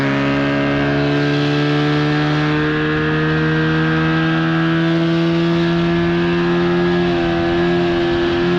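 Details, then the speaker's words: 1979 Evinrude/Johnson 35hp outboard at speed on the water, with insulation added under the cover, after a failure to reach wide open throttle: strong steady buzzing drone at one pitch, no misses or surging; seemed to run perfectly fine. "oh she's running just fine"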